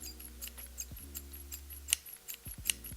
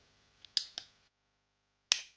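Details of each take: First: Taurus 66 Combat .357 Magnum double-action-only revolver, trigger pulled slowly near the microphone: uneven clicks with faint squeaks, the action hitching, grinding and squeaking rather than running smoothly. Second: Kimber revolver: crisp, light clicks as the action cycles, then a sharp break. A smooth double-action pull that stacks to the notch, with no grit or hitching.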